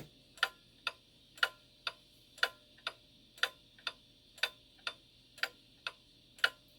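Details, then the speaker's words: Shanghai 555 pendulum clock after cleaning, on beat analyzer: crisp tick-tock about two beats a second, nearly even, slight variation from escape wheel teeth; clock in beat. "And then you get on the other side and the numbers are low like they are here. But that is pretty good beat right there."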